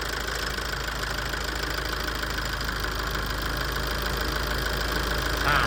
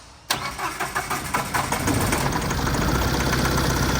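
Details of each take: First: Tata 2.2 common-rail 140 hp diesel dump truck, after injector cleaning and coding and injection-quantity adjustment, fixing a long-parked no-start: steady idle with an even low beat, the earlier loud rattle gone, running smoothly. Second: Tata 2.2 common-rail 140 hp diesel dump truck, a long-parked no-start, after an engine wiring harness swap: it cranks, catches and idles lumpy on fewer than all cylinders with the check-engine light on, as an injector in cylinder 2 is not firing.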